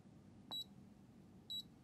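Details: EEVblog BM235 multimeter with the backlight on: two short high-pitched chirps about a second apart over a quiet hiss. Multilayer ceramic capacitors on the backlight inverter are singing through the piezoelectric effect.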